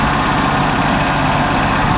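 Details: 1987 Oldsmobile Regency after sitting three years, just started on a borrowed good battery: steady, even idle with constant low drone, no knocks or misses; some smoke and a small leak seen.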